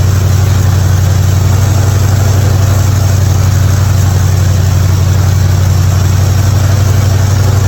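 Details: '55 Chevy hotrod V8 after a spark plug change for fouled plugs and popping: deep, steady burble with even beat, no pops or skips, idling cleanly.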